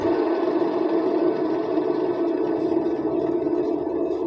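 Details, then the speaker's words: Perodua Kancil/Kelisa/Kenari/Viva (non-ABS) right rear wheel, before bearing replacement; steady mid-pitched hum and drone, noisier on the road; worn rear wheel bearing. "bunyi dia tuh agak bising, lebih lagi kalau kereta berjalan di atas jalan raya lah."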